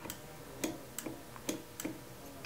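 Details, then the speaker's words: Sette 270Wi coffee grinder: moving the grind setting indicator below 31 engages a safety switch, giving several sharp, separate clicks in a quiet room, all working normally. "and on the adjustment ring when I move my black grind setting indicator to a setting less than 31 you can hear another switch engage listen"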